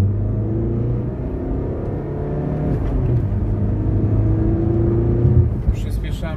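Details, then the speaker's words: Front-wheel-drive car, full-throttle pull in second gear: smooth, rising engine roar with no shudder or clunk from the driveline; nothing wrong, normal acceleration. "tak jak było widać nic się nie dzieje ale co się będę powtarzał"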